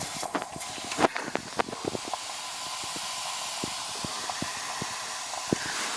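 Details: Heat pump out of refrigerant with the condensing unit not running: steady hiss of gas escaping under pressure, plus handling clicks, from a rotted liquid-line filter drier at the king valve. To be replaced with a reversible drier mounted outside.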